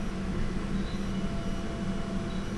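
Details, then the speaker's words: 2014 Chevy Spark no-crank with four 5V reference circuit codes, key on, engine and reduced power lights lit: steady low electric hum from the rear drones on without stopping; fuel pump suspected to be running continuously, not confirmed. "Boy, it sure sounds like the fuel pump just running."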